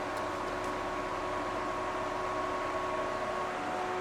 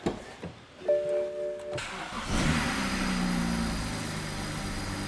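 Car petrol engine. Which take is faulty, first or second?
first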